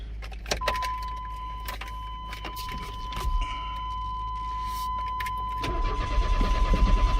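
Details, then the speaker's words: 1995 Chevy S10 that sat over five years: key-on brings a steady chime but no fuel pump buzz, then the starter churns evenly without firing; pump not priming, so fuses are checked next. "so it doesn't sound like the fuel pump is turning on when you turn the key on so i'm gonna check some fuses and see if we find anything"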